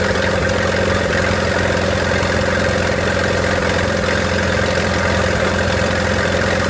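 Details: 1928 Farmall Regular tractor engine idling after carburetor tweaks, timing advanced about halfway: an even, steady idle with a regular low thump and no misses or knocks. Healthy normal idle.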